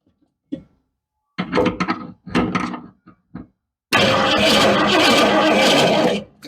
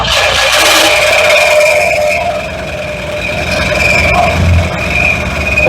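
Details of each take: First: Cougar project car, new spark plugs, fuel splashed in, spark present: short starter bursts then a two-second laboured crank that never catches; weak battery, charger needed. Slow cranking, no start. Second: Mercury Cougar first start after installing spark plugs, gas poured in, battery low on charge; engine catches and runs fairly evenly with a thin steady squeal on top from a rubbing pulley; running after first start.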